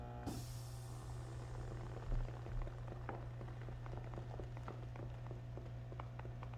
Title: Trumedic Symphony - Buzzing Sound